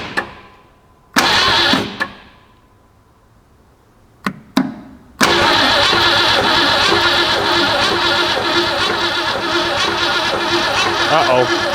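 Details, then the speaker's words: 1962 Mercury abandoned for 30 years, key ignition bypassed with a push button to the battery: a few starter bumps, then it catches, with a steady whir as the starter stays engaged. Owner suspects a sticking starter solenoid; the battery is also weak. "so we have a sticky sticky solenoid that's what I'm gathering"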